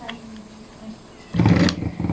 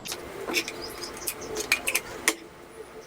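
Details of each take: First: Ice crusher that only hummed and wouldn't spin, tested with a 5 µF substitute starting capacitor: motor kicks in with low steady hum and runs normally, confirming the original capacitor is faulty; 8 µF replacement planned. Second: Ice crusher that spun weakly: after clicks, a low steady hum with no spin-up, showing the motor has connection. The start capacitor is tested next as the suspected failure.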